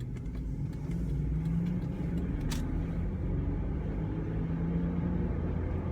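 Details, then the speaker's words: Ford Mountaineer recorded by phone in the cabin while accelerating from 0 toward 70 mph: faint steady whine under road rumble, worsening for over a year; owner suspects rear differential whine. "And at the same time expose the microphone so you can hear this god-awful whine that I'm been experiencing in the truck now for... It's gotten a lot worse over the last 3 or 4 months."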